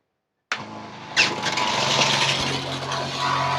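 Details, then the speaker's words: 12 V DC pump at about 12 V, now under load, reading about 80 dB, vibrating on the table: a steady buzzing hum with a firm low drone, running smoothly with no knocking or rattle. "nah ini baru kerasa nih kalau pakai Beb nih soalnya ini pada getar-getar di meja"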